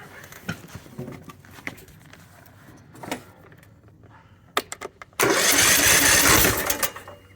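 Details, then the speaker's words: Ariens 20 hp, 42-inch lawn tractor that won't start despite a new battery. After the cowling was removed and the flywheel turned to release cylinder compression, a few clicks are followed by the starter cranking strongly and freely; the likely fault is the starter failing to overcome compression. "so it will turn over I promise"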